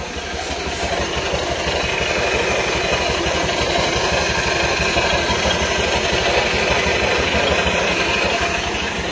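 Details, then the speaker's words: Honda Vario 150 scooter idling just after an oil change with 200ml Shell Rimula R4 diesel oil mixed with 600ml Bimoli cooking oil: steady quick scraping rattle, about three a second, from the loud CVT; engine itself sounds fine. "nah Oh ya Mbah abaikan suara srek-kreknya Mbah itu dari CVT"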